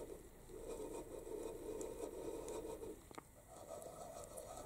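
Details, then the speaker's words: Aprilia RS 125 Tuono Rotax 122 two-stroke engine disassembled, crankshaft turned slowly by hand: quiet, gritty rasping, rough rather than smooth; crank bearings badly worn and to be replaced. "now I want to take out the crank just Spaniels the crank bearing sounds like this can you that this is really bad"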